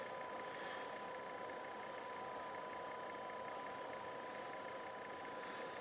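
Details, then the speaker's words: NAD 2140 stereo power amp on the bench, input raised until clipping (about 26 V RMS into 8 ohms per channel): steady quiet fixed-tone transformer buzz under load; suspected weak power-supply filter caps. "so I'm just gonna keep increasing the input until you're clipping right about there this transformers are very noisy"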